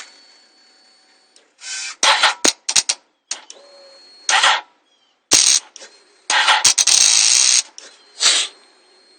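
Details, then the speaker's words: 2006 Yamaha R1 no-start despite a new battery and new fuses, starter and alternator believed good: pressing start gives only short bursts of sharp clicking and buzzing, no cranking or firing. "got a problem with the 2006 yamaha r1 can't get it to start bought a new battery changed out the fuses starter should be good the alternator i believe is good"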